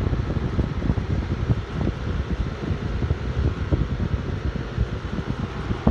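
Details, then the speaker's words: LG window air conditioner at morning startup, central A/C unit also running nearby: steady low fan rumble with an even compressor hum after the start delay, no knocks or rattles; running normally and cooling. "that compressor right got to hear both compressors running you can see it"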